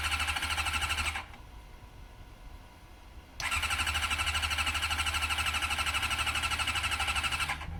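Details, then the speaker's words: Honda CM400-series motorcycle in cold weather: rapid even starter cranking in two long bursts, never catching though smoke starts from the exhaust; owners blame the cold and suspect no accelerator pump. "It's gonna backfire. It is. It's so cold. No, stop. It's just too cold."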